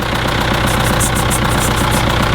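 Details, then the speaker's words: Idle of an old Case tractor with an injector missing its copper seal: lumpy diesel idle with a sharp puffing chuff on every firing stroke, the injector blowing past the missing washer. "it's currently having a couple of issues the porch is quite low which is not too much of an issue you can raise it it's missing on a copper seal can you hear it"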